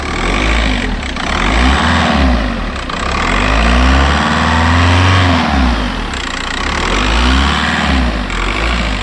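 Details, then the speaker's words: MK4 Golf Variant 1.9 TDI (AXR), first startup after an EGR valve delete (the old valve was badly clogged): diesel rattle rises and falls with rev blips while the turbo whistle climbs, spooling more. Normal running. "So you can definitely hear the turbo spooling up a bit more. It sounds pretty cool."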